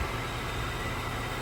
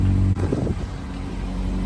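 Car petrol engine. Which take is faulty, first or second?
second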